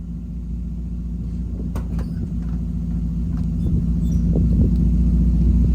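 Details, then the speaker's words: Toyota Echo 1.5, 391,000 miles, after replacing failed ignition coil that caused a long-running misfire, exhaust shot: steady, even low burble building slightly, no skips; firing cleanly on all cylinders. "But you'll get to see the car, I guess, operate now that it's fixed. It's a whole lot better. Running bad for quite a while."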